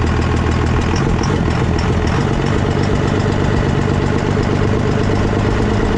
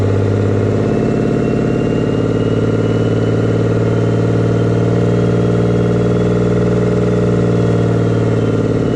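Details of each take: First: Diesel pickup with 24-valve engine just converted to a P-pump, first start after swap, fuel leak noted at a valve: steady, even diesel idle with firm clatter, no misses or hunting; running normally. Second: 24-valve Cummins diesel pickup after a P-pump swap, pump timed stock, not fully warmed up: steady idle with a loud hollow suction roar and a faint whistle from the open inlet with the intake off; the noise goes away once an intake is fitted.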